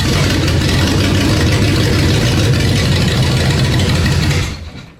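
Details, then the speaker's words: 1968 Corvette 427 tri-power, first start after sitting over a year, timing just backed off: loud uneven lumpy cold running, choke opening too far; rough running. "All right, our choke is opening up a little bit too much there. She's a thirsty girl though, so."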